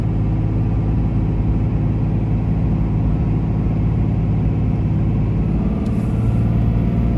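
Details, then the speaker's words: 2004 Dodge Ram 2500 4x4 quad cab, 5.9 Cummins diesel, 36k miles, fully serviced, automatic; strong steady drone pulling uphill on test drive, no knocks, flare or harsh shifts; engine and transmission healthy. "we'll head up the hills so we can hear the 59 cing run well as the automatic transmission go through the gears so you can hear for yourself how it doesn't slip shift hard or have any problems at"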